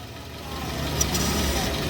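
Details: Hyundai Tucson idling with steering turned fully to one side after replacing all three dried-out, noisy belts, including the power steering belt, with Continental: steady idle, firms slightly under steering load, no squeal or chirp.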